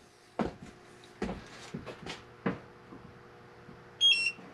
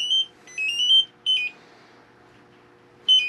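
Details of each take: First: Propane detector in a Class C RV camper calibrated after the oven's propane connection was re-tightened: a few handling knocks, then one short high chirp meaning calibration complete in clean air. No propane was detected; the earlier leak was fixed. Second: LP gas detector in a Class C RV camper sprayed with propane to prove it works, giving sharp high electronic chirps in short bursts, about three in three seconds, then a pause. It had just been tested after reinstalling the oven in a new butcher block countertop; a propane leak was then found at the connection.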